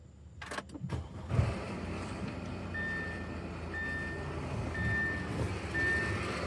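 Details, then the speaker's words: 2015 Audi A6 2.0T at start-up, noise under the hood that first seemed like a timing chain: a high scraping chirp about once a second over idle as the alternator pulley digs into its case, throwing metal, though it still charged. "Sounds like a timing chain. Oh no. Can you see the metal flying out of it? The alternator is eating itself."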